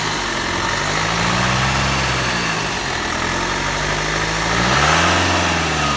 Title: E46 320d 110 kw strange noise